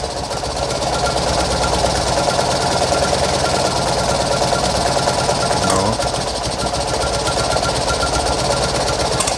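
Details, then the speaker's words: Fiat 126p carbureted engine started on petrol, then running on lamp kerosene: uneven, stumbling knock at about three beats a second over a harsh clattering idle, sputtering but still running. Owner hopes it improves when warm. Rough running. "będzie chodzić prycha ale dalej idzie może jak się rozgrzeje to"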